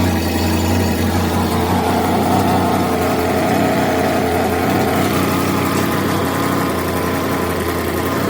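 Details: Exhaust leak on a 1979 GMC Caballero (G-body) big block V8: loud, coarse idle with raspy tractor-like chuff, traced to a loose header-to-exhaust donut.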